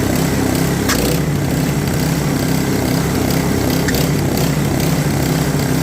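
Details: Customer's snowblower, auger not engaging or throwing snow; after adjusting auger belt tension (still some free play), the small single-cylinder engine holds a steady even drone with no surging or belt slip, running quite well; oil change planned.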